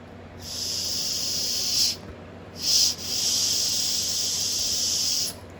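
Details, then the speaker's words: 2001 Toyota Highlander 2.4L four-cylinder with long crank and check engine light, fuel pump already replaced: air blown by mouth through removed fuel pressure regulator hisses out its end in two long bursts; leaking regulator diaphragm. "All right, guys, so I don't know if you could hear that, but it's actually leaking from the end of the regulator here. So that's definitely where our problem is."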